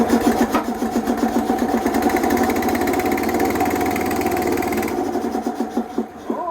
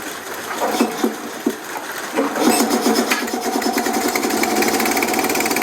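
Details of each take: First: Small single-cylinder boat engine on Renko running on a plug borrowed from a Harley, old plug black: fast but uneven putter around 220 beats a minute with a stumbling beat; rough running, maybe water in fuel, unconfirmed. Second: Small single-cylinder engine, apparently the compressor engine, running on a spark plug borrowed from a Harley after a dead plug; the plug came out a bit black, possibly some water. It settles into a steady, even chug with no misfire.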